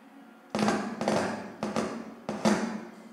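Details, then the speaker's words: Car power amplifier with no signal, running on a 12 V adaptor with the fuse fitted, during a no-power, blown-fuse repair: four heavy thumps about half a second apart through a 12-inch full-range speaker show DC leaking from one channel, pointing to a faulty component there. "Di sini teman-teman ada arus DC yang keluar."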